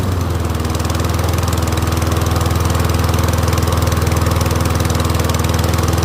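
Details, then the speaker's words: Troy-Bilt Briggs & Stratton rear-wheel-drive mower after ultrasonic carb clean, just started and warming up; steady even single-cylinder putter at constant idle, no misses or surging, no leaks; running cleanly. "let it warm up and I'll see if the pitch changes. Motor's running good."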